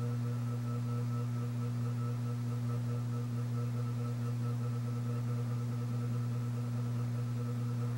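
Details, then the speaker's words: c.1980 Homestead Whisperfan II ceiling fan at speed: low steady hum with faint ringing; glass shade rattling because the switch housing is a bit loose; bearings good. "the switch housing is a bit loose which is why the glass is making that sound"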